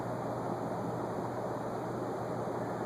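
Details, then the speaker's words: Vintage TPI/Sunbeam Calcutta ornate ceiling fan, GE motor, on high speed drawing almost 1.5 amps after a sagging flywheel straightened out: steady even air whoosh with low motor hum, no ticks or wobble; running smoothly. "so let's do an airflow test cuz this thing is really flying"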